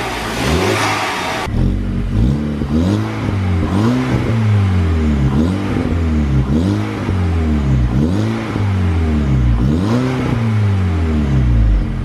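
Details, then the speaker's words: VW Golf Mk5 GTI TFSI engine with newly fitted Forge Motorsport Twintake intake: crisp free revs rising and falling with loud intake roar and a light diesel-like TFSI tick underneath; sounds good, normal. "Right folks, so it definitely does sound good."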